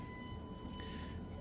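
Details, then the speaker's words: Blue Yeti USB microphone with headphone jack used as line output into a studio rack, mic muted: constant low hum with a thin steady high whine, never changing; grounding issue (ground loop) through the sound system. "basically what it is it's it's a grounding issue it took me a long time to figure it out"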